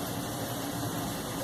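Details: Brastemp tumble dryer after replacing the drum seal (gasket) that had caused noise, test run: smooth, even hum with a low steady rumble and no scraping, thumping or squeal; drum runs quietly and healthy.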